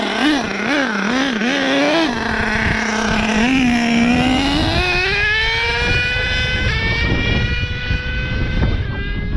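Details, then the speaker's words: HPI Savage XL with K5.9 nitro engine, warm, on Bones Brew 30% nitro 10% oil fuel after richening the needle about an eighth turn: screams cleanly up and down through second and third gear. No lean hesitation; healthy running. "that sounded good no weird throttle spots there in the range you see you guys when it's lean they'll have that little hesitation"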